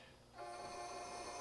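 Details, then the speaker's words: Challenger 357 air rifle after power valve upgrade install, filling air with action uncocked; steady hiss with a faint thin tone, air escaping out the barrel. "see, it's coming out the barrel, just like I said."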